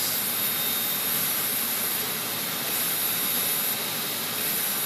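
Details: Old 23 GB hard drive, cover removed, powered up: loud steady jet-like hissing roar with high whine on spin-up, actuator appears stuck and drilling under the top plate; cause unclear.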